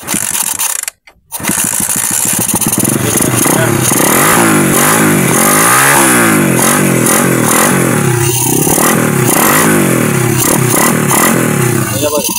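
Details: Honda XRM-type motorcycle that would not start, after checking spark at the high-tension wire: engine catches after brief silence, then runs steadily with revs rising and falling cleanly; normal running.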